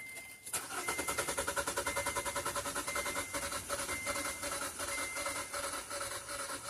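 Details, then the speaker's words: 2014 Kia Forte after a new fuel pump was fitted, a part just reseated: the starter churns the engine over evenly, about two or three turns a second, but it never fires; no fuel pump sound, so the fuse is suspected. "stop. I'm not even hearing the fuel pump turn on. So, let's go double check our fuel pump fuse."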